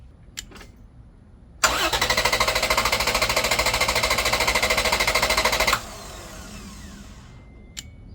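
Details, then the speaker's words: 2011 Toyota Tacoma 4.0 L V6 cranked on a Lectron S10 4000 A jump pack alone, main battery disconnected: strong even starter cranking about 200 per minute for roughly four seconds, engine turning briskly but not firing. "I'm going to give at least 5 good long cranks just to show that this jump pack will crank this engine without the help of the battery, of the main truck battery."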